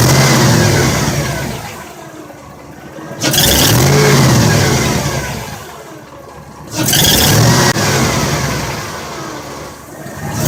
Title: 2002 chevy 8.1 rattling sound what is the problem